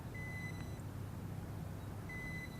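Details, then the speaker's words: Bayangtoys X16GPS quadcopter with stock 2200mAh battery, just landed: two long high beeps about two seconds apart over a steady hum, lost-signal reminder that the battery is still connected. "You never hear that beeping. That means there is a battery in there and it's letting me know."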